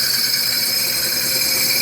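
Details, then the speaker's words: Core drill cross-drilling soft jasper at a proper, considerably faster feed rate; steady bright sizzling hiss, whereas squealing would mean the feed is too slow. "it up, and it's got that more like that sizzling kind of sound. And our feed rate now is considerably faster."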